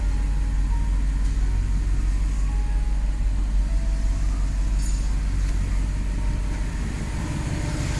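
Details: Audi R8 after a no-crank, no-start fault was repaired: even, steady low idle rumble with no misses, ticks or hunting; the engine sounds healthy, a normal idle.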